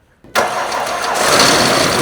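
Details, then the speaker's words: 2006 Ford Explorer XLT 4.0L V6, about 160,000 miles, started and idling: harsh idle with many clattering, clacking noises, light knocking on the bottom and clatter at the top; all bearings suspected worn, a badly broken engine. "you can just hear, there's not just one or two noises, it's a plethora of multiple things clattering and clacking. It's really bad."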